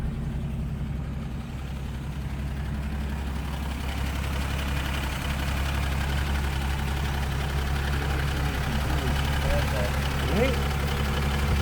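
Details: 1941 Studebaker Commander, restored 225ci straight six, rebuilt single downdraft carburetor, new coil, six-volt system, in neutral just after start: quiet, smooth, even low hum with soft steady patter, no knocks or misses; normal idle.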